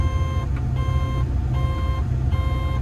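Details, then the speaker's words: Diesel construction machine (Develon/Mecalac plant): steady beeps about every three-quarters of a second over the running engine, with no active diagnostic codes or events; cause unknown. "Why is it beeping and there's no error code? That is strange. That generally tells you that there's something wrong."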